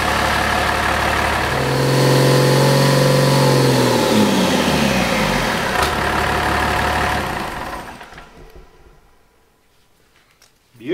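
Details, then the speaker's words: Old raced-out junkyard 5.9 Cummins diesel on first start after rebuild with turbo fitted: catches, revs with steady even clatter, settles and shuts down cleanly; turbo and oil pressure good, normal running. "turbo sounds good oil pressure's good"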